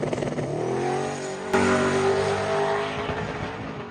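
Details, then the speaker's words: Drag car on second track pass; hard pull with climbing pitch then stuttering, ragged cuts, engine breaking up under full load; ongoing fuel pressure issue suspected, not confirmed. "All right, well, the second pass didn't go as planned. The car was breaking up a bunch. You can probably see it in the video, or you can probably hear it in the video there."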